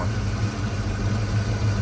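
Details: Ford Fox-body Mustang SSP 5.0 V8 idling after the no-start cause was found: a deep, steady, even burble with no ticks, and the header rasp heard that morning is gone. Smooth and quiet.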